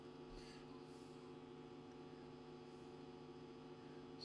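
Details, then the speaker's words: National Panasonic RF-7270 radio, amplifier working but quiet, signal generator at 10.7 MHz FM giving no signal: constant low buzzy hum of steady pitch, mains hum suspected from an earth loop or poor earthing, not yet confirmed. "Yeah, it's definitely making noise, isn't it? So, we'll turn it down. That's the volume at that end. So, it's on 10.7. So, we should be getting a signal through on FM. We're not and some sort of earth loop, haven't we?"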